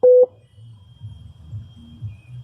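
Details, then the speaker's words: Opel Astra H CD30 car radio after theft-protection deactivation via CarPass code: one short mid-pitched beep as radio and display show SAFE, locked in delivery mode ready for transfer to another vehicle. "And you can hear the beeping and you can see the radio safe. Display safe."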